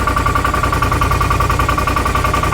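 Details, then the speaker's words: 2018 Odes Dominator 1000 X2 LT twin with lack of power and a 24 mph top speed: lumpy, uneven idle with an off-beat pulse. The rear cylinder is not firing and stays cold (front 200, rear 102); a bad spark plug or number two coil is suspected. "I can still tell you something's going on with a real rear cylinder it's not getting hot current one's already 200 the rear is 102 I can put my hand on it nothing at all"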